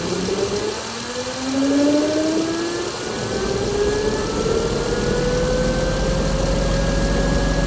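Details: 2016 Chrysler Pentastar 3.6L V6, stated as about 2017 in a 2017 Dodge Ram 1500 regular cab, idling with a whine slowly climbing in pitch over an even rumble; owner reports a massive cranking noise at start; source unclear.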